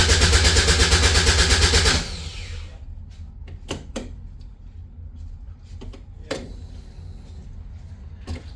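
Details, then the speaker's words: Caterham 7 620S cold after sitting overnight, clutch and brake pressed; starter turns engine in steady even pulses about two seconds, no firing; fuel pump primes, immobilizer flashing, no tach reading; cranking, no start, cause unconfirmed. "Try removing the immobilizer. So that flashes a lot. And no start."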